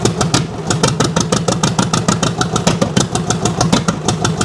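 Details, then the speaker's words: 1929 John Deere GP at its first fire-up after restoration, choke just turned off: slow, heavy, uneven chuffing at about five beats a second, like it is running on one cylinder; rough running, cause unconfirmed. "yeah no kidding there run y s like a one cind"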